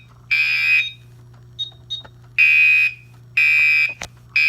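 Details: Gentex Commander 2 horn, 24 V model set to code 3 mechanical on constant panel output, sounds normally in alarm. It gives loud, steady buzzing half-second blasts about once a second, each clean and even.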